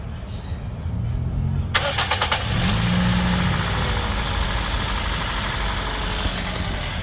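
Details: Toyota 2NZ-FE engine, previously noisy, after the oil strainer was cleaned and the timing cover refitted; the starter whirs, then the engine catches and settles to a smooth, quiet, even idle with no knocking or ticking.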